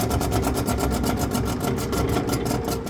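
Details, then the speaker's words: Exhaust fan running: fast rhythmic swish-scrape about nine a second over the low rumble as the wheel rubs its inlet cone; bearings also sound bad as it slows. "I got a Titan belt on here but now the wheel is hitting something"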